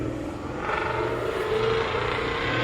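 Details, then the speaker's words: 2020 Mustang GT V8 with ported intake, longtube headers, cold air intake, after MMR lockouts fixed WOT bogging: deep drone builds smoothly under throttle, no stumble; issue resolved. "Ooh, that sounds sick."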